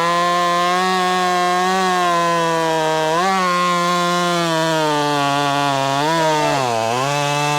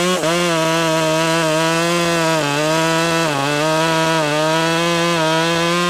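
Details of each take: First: Ported Husqvarna T540 Mark III top-handle chainsaw on its third tank, not fully broken in, warmed up, chain quickly filed, second attempt: high buzzing note dipping briefly under load and recovering quickly; cutting cleanly. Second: Ported Husqvarna T540 Mark III top-handle chainsaw, new, cutting a big round outdoors at about 14°F after brief warm-up: high revs sag and recover repeatedly as the chain slaps loose; bent bar and jumpy worm-gear tensioner let chain tension go.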